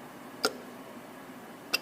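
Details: 2011 Mazda 3 after EVAP vent solenoid replacement above the rear suspension, commanded on and off by scan tool before a smoke test: two sharp crisp clicks about 1.3 seconds apart; new solenoid actuating normally.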